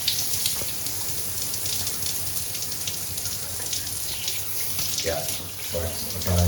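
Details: Grohe shower thermostatic mixer after valve replacement, which was needed because the temperature stayed fully hot or cold: water rushes steadily with no hiss, spurting or dripping. The new valve flows normally without leaks.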